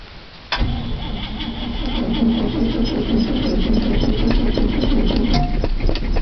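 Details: 1973 International 392 big block, sat three weeks, cold start in snow without touching the gas: brief crank, catches at once, steady even low idle; normal cold start and idle.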